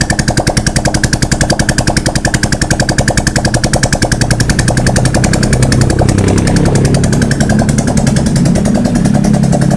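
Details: Honda XRM125 motorcycle whose engine oil dried up: loud, harsh metallic knocking about 3.5 times a second from the oil-starved piston scuffing the liner; engine block and piston replacement recommended.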